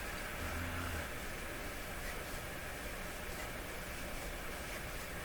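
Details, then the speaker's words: Dominion Electrohome TR50 console receiver, fed a strong FM signal-generator test signal tuned near 100 MHz. Only a steady even hiss with no station or tone; FM section dead, cause unknown. "Okay, we're already on, so we have to tune to around 100. 100 is right where we are. Not a thing. Nothing whatsoever."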